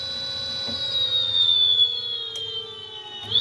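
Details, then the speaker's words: Electric motor bench-tested on a temporary controller before a new Votol EM-150 arrives: clean high whine dropping as speed falls and rising again, smooth running after needing a jar to start; motor fine. "Yeah, it is working. Okay. Must have needed to jar it."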